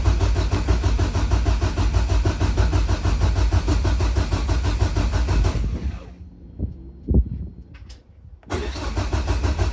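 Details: Nissan S13 in a freezing trailer, cranking after a loose kill-switch wire was fixed: about five seconds of steady churn that never catches, then silence; cold no-start, cause unknown, to be diagnosed at the workshop.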